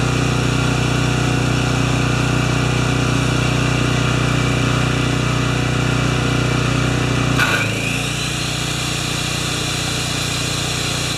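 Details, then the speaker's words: Makita G2400R generator with a non-OEM replacement carburetor, load-tested with a saw drawing about 5.7 A unloaded and 13 A when triggered; steady drone and hum, a brief rush as the saw loads, then it settles and holds speed; healthy under load. "now it's really loud so I'm going to I'm going to do it separately I can't talk when the generator and the saw is going as you understand and we'll come back thanks"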